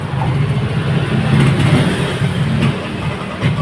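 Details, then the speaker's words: Yamaha NMAX All New v.2 scooter, throttle body previously serviced: starts normally but surges unevenly, stumbles and stalls when the throttle opens, sometimes even without throttle; ignition system fault, spark plug cap suspected. "อ่ะสตาร์ทนะครับได้ปกตินะครับแต่เวลาเร่งนะอ่าดับนะครับ"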